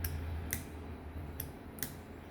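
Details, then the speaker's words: McGrath Mini amp version 2 relay control system on its first test, with the toggles set to permanent on. Four or five soft, sharp clicks about half a second apart over a faint hum as each of the five relays switches: relays working normally. "flipping this, I can hear the quiet clicking noise from the each of the five relays themselves, which lets me know that they're uh all the relays are working and wired correctly."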